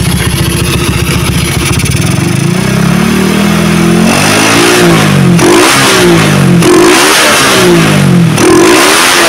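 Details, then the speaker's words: Motorcycle with a freshly set PWK racing carburetor revved from idle through mid to high rpm: revs climb cleanly and drop straight back to idle without hesitation or hanging, showing the setting is right; normal revving. "Nah untuk karbunya enak ya langsamnya ketika digas langsung turun itu menandakan bahwa settingannya sudah pas ya guys"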